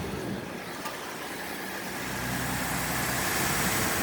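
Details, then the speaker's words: 2012 Ford F150 with a no-start problem, running after the fuse was put back in: engine catches and settles into a steady, even idle with no misses or knocks. "so we put the fuse back and watch boom the engine is running"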